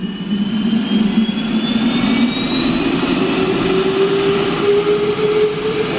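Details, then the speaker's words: Air start cart spinning up a GE LM1500 turbine, a converted fighter jet engine of about 15,000 hp, in a test cell: smooth whine climbing steadily under an even roar before fuel and ignition, a clean normal spool-up. "That's the air starter. It's gonna take a while to wind up the big engine."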